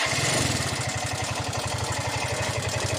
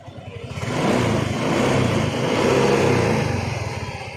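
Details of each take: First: Yamaha Mio i125 scooter engine idling with a steady low thump and a loud rattly mechanical clatter on top; noisy engine, cause suspected but not confirmed. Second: Yamaha Mio i125 scooter engine revs up, holds and drops back smoothly with an even beat and no knocking or rattle; the engine now runs clean, normal running.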